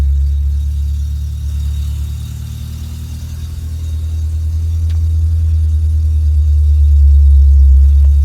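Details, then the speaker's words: Mk2 Golf VR6 with aftermarket immobilizer, first start after fixing a suspected alternator fault, battery at 12 volts, ISV humming: starts better than ever, smooth, steady low hum with a gentle rise and fall in revs and no ticks or stumbles. "that may have solved the issues cuz it's that started up a lot better than it has ever done. And the revs are actually nice and smooth as well."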